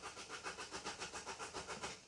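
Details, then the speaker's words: Van said to need a new ECU and engine loom: even starter churn about five to six beats a second that never catches; common-rail pressure reaches only about 40 bar while cranking, code P2291 for rail fuel pressure. "Fuel pressure measured in high pressure common rail. It doesn't like that."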